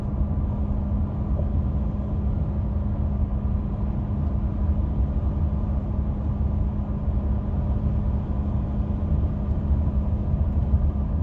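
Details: 2016 Ford F150 5.0 V8, 6-speed, 4WD, cruising: steady, low fixed-pitch hum over road rumble starting at 60 mph on throttle and stopping at 55 mph when coasting off throttle; occurs randomly, cause unknown.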